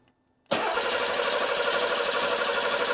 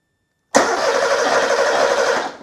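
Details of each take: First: Porsche 911 Carrera 3.2L on an engine test stand after sitting a while, first start with six working injectors reinstalled: cranks and catches at once, then settles to an even idle; fuel pressure about 2.1, oil about 120 degrees; runs healthy. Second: Porsche 911 Carrera 3.2L on an engine test stand after sitting: about two seconds of steady starter whirring with no firing; fuel pump runs but there is no spark and the scope shows no ECU signal to the coil; cranking no-start.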